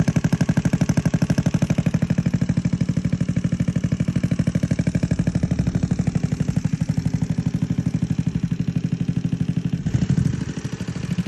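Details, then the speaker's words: Honda Navi scooter, cranked without firing on the dirt-clogged old carb, now runs after fitting a new 19mm Nibbi carb (gasket not fully dried, untuned); steady even firing about three pulses a second, no knocks or misses. "that seems promising it seems like it's fixed cuz with the old carb wherever that is it had zero like Fires at all like for trying to get it to run"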